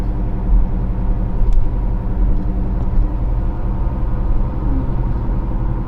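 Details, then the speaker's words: 2015 Kia Sorento 2.4 on test drive: constant low growl under road rumble that changes when turning, front-left wheel bearing noise; slight roughness felt at the wheel. "yeah that's a wheel bearing noise you hear it when we jerk the let's wheel if we can get it to go the other way"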